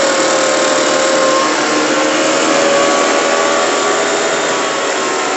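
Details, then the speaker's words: Echo PB580-T two-stroke backpack blower after throttle swap from another Echo model, different replacement carburetor and new spark plug, no air filter, warmed up: steady high-pitched roar, no surging or stumbling; test runs good. "Okay. So, all the test runs came out good."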